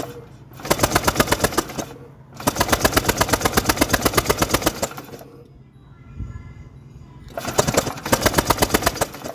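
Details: Honda PCX150i scooter that won't start after sitting a long time, battery charged. Repeated bursts of fast, even starter cranking, about three seconds each, never catching. The plug shows spark; the cause is not yet found.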